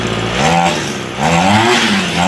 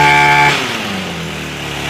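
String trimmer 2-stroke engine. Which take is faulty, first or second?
second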